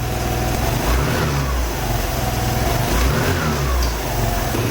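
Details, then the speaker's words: 2008 Piaggio Fly 150 scooter after crankshaft replacement following oil starvation and rod bearing failure; revs up cleanly and settles back twice, smooth with no knock or rattle, oil light off; normal running. "oil light turns right off sounds good seems to run really good I'm happy with that"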